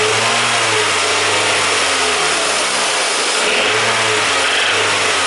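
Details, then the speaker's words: Car engine running fine at idle, then revved up and down: a light hammering tap comes in as revs rise, sometimes intermittent; owner identifies it as bad connecting rod bearing failure. "In that area I can add more revs and soon we can hear small hammering sound. It is that."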